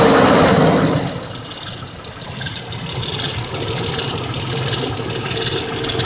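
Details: 1999 Mercedes ML320 (W163) gasoline, almost 200k miles: light even tick a few per second over steady idle, began after oil change with 5W40 and new filter; before, lifter noise only 10–15 s on cold start; suspected lifter, unconfirmed.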